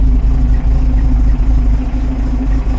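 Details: 1975 Volvo 245 wagon with 16-valve turbo swap and LH2.2 injection, idling about 800 rpm with vacuum around 5 and wideband reading 8–9: a low, lumpy idle with an uneven pulse that sags and stumbles; running very rich, suspected from a failing air mass meter.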